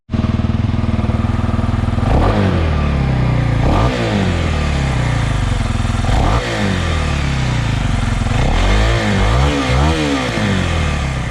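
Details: 2021 Kawasaki KLX 300R single in cold weather: bark rises and falls cleanly through several quick throttle blips and settles back; revs freely, healthy.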